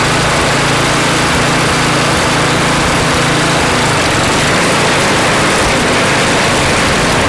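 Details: Craftsman snow blower (customer's) after cleaning and reassembly with a replaced seat: small single-cylinder engine runs at a fast, even beat with steady pitch throughout, sounding like it runs cleanly.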